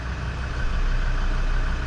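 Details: Land Rover Defender TD5 diesel after injector loom change and service, below operating temperature: steady low rumble with even beat, no knocks or misses; smooth healthy idle.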